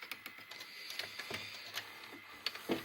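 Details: Grandin two-head VCR model 97 after cleaning the mode switch: soft quick clicks and light whirring from the tape transport with no grinding or straining. Normal mechanism operation.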